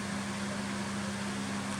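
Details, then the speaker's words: Dimplex 360 Turbo 9 inch oscillating desk fan (45 W, 3 speeds) on a high setting: constant motor hum and steady air rush, no rattle, ticking or wobble; quite loud but running normally. "That one's quite loud, and the third setting is very loud. I don't know whether you can hear that through the microphone properly, but you wouldn't be able to sleep at night on the third setting."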